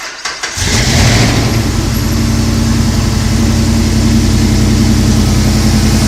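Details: 2004 Jeep Wrangler Unlimited with 2010 5.7 VVT Hemi swap, 545RFE automatic, JBA shorty headers: quick crank and catch, then steady, even V8 idle held high for about 30 seconds after cold start before the computer lowers it; normal.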